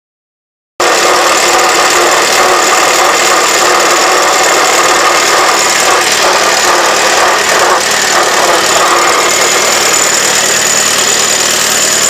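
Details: 1948 Farmall Super A tractor idling: steady high whine over busy mechanical clatter; owner unsure whether normal whine or bad bearing.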